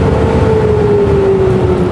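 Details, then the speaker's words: Laguna P|Flux:1 dust collector after AutoClean retrofit kit install, first start: steady even motor hum and smooth fan tone easing slightly in pitch, clicking inside from first filter-cleaning routine, no scraping; running normally. "When you first start it, it's going to go through that filter cleaning routine for the first time, and you'll hear that as the machine is running. Don't be alarmed, that's just it doing its job."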